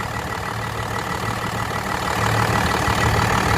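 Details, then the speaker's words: First-gen Dodge, 12-valve Cummins diesel with low compression, idling with the oil filler open; constant low drone and steady hiss; heavy blow-by from worn rings and valves. "well rookie mistake all right let's look at the blow-by try this again that's blow by"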